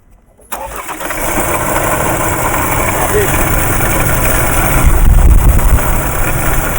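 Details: Ford, push-start, engine started with foot on brake for diagnosis; it catches and settles into a loud idle with an uneven tapping about three times a second over the rumble; water pump questioned, noise source unclear.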